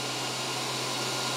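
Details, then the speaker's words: WULF PCP air compressor powered on with the hose blanked and the cooling fan switched on: steady rushing airflow with a constant low hum, no rattle, rub or surging; the fan spins up normally. "we turn the fan on is just that button there and you'll hear it takes a little moment but the fan will start to whirl up it does get quite"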